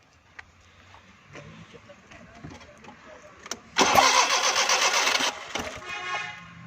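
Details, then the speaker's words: Suzuki Mehran 2002, 796cc petrol, won't start after a service pressure wash: starter cranks about 1.5 seconds with rough pops and backfiring but never catches. "ये गाड़ी दोस्तों साथ बैक लगा रही है और गाड़ी स्टार्ट नहीं हो रही।"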